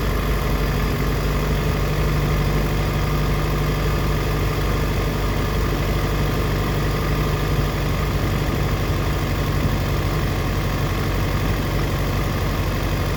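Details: 2004 Yamaha FZ6 idle: steady low idle with faint unevenness, dipping to 970 rpm versus 1260–1320 spec when coming down to idle; misfire at idle, owner suspects a bad ignition coil.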